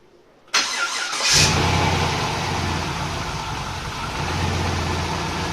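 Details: Volvo 240GLE with LS2 V8 swap, engine reinstalled, restarted after adding 15 litres of E10 cured air-sucking low fuel pressure: cranks and catches at once, settles into steady, even idle without stumbling; normal running.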